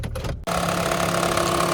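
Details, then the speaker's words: 2013 Honda Fit just started cold, in gear, worse with AC on, around 1,000 rpm idle; fast buzzy rattle over steady idle, gone at higher idle, from a worn serpentine belt slapping its pulleys. "And you get the rattle here. And especially if you turn on the AC, it sounds horrible."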